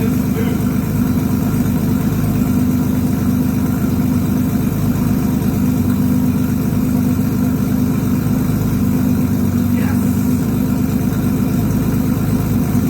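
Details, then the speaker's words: 1982 Honda CBX 1000 six-cylinder, first start after carb repair: four of six float-bowl overflow tubes were cracked or pinholed, fixed and bench-tested leak-free, carbs already holding fuel. Not yet warmed up. Steady, even, smooth low idle with no misses or knocks; running as it should. "Damn, man, that's exactly how it's supposed to happen. Right there."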